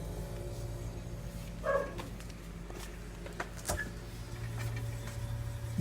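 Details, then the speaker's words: Panasonic NR-A749D refrigerator: compressor hums low and steady with no knocking sound, running normally. "I don't hurt any sound nothing some guys the compressor is working good"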